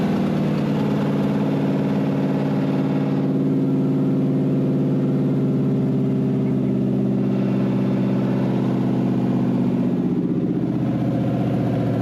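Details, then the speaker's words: Wrecked 5.0 V8 Mustang non-runner on open headers, running after a missing engine ground was added: steady, fairly even idle with a low rumble and no knocks or misses; engine sounds healthy; normal idle. "Hey, engine sounds healthy though. Open headers, but I mean, the engine sounds pretty okay."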